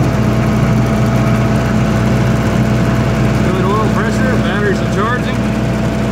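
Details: 1995 Libby MEP-804A 15 kW ex-military generator, 4-cylinder liquid-cooled Isuzu diesel rebuilt in a 2010 reset, 688 hours, new filters and fluids, started cold, 1800 rpm: steady even drone, no knocks or odd noises, runs smoothly, no leaks.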